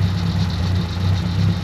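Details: 1956 Dodge Power Wagon petrol engine idling after bleeding the brakes: low, steady, even rumble with no knocks or misses; runs beautifully, though the accelerator pump is suspected bad, causing hesitation on acceleration.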